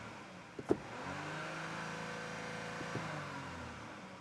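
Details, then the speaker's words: Audi Q5 losing power with code P0299; dealership advised a turbo replacement. Engine revved: smooth drone with only a faint turbo whistle, no hiss and no boost-leak hiss. Turbo sounds weak. "So engine is running. I'm going to rev up the engine. I don't really hear the turbo hissing. I don't hear it."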